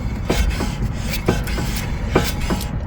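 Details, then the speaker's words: BMW E46 3 Series during front control arm replacement: dull irregular thuds in pairs about every second, "dunk dunk" from front corner; owner suspects a wheel bearing may be needed, not confirmed; clunking noise. "you hear that dunk dunk dunk dunk, that's my new noise. So it wouldn't surprise me if I need a new wheel bearing as well."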